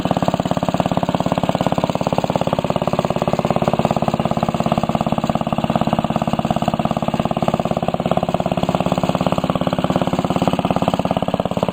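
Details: 1945 Briggs & Stratton Model WMB single-cylinder engine, restored with a rope starter replacing the kickstart, run after repainting: steady, even chuff at a constant pace with no misses or knocks; runs smooth and healthy.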